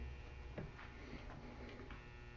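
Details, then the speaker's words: Q-9000 winch fed only by a 10-amp battery charger: the relay clicks a few times over a low hum but the motor never turns, with a tone difference between winch in and out; the supply can't deliver enough current. "I was hoping for a little better result than this. I was hoping that battery charger would be able to at least crank this motor."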